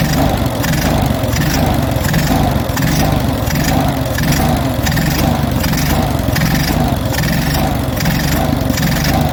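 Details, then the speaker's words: Stone-cold Onan US military generator engine, automatic choke likely still on, with the governor recently removed and reinstalled. Speed surges and sags about once a second, hunting; the owner suspects the governor is set too slow. "Starting to hunt a little. Why is she doing that? see if I can adjust that governor."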